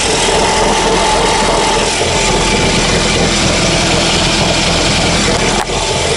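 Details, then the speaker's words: Ford, car sat 2 days, rattle started after about 10 km; idling about five minutes, clutch pressed: loud, dense, uneven metallic rattle from the gearbox side; worn dual-mass flywheel suspected, input shaft also possible. "Смотрите, машина работает еще пять минут, но звук все еще слышен. Я нажимаю на сцепление."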